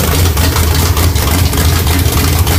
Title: Rough idle sbc 350 whit Thumper hyd roller cam